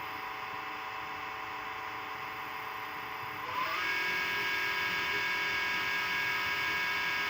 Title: LG dishwasher (LDF5545ST) was making this noise - part ABT72989202 fixed it.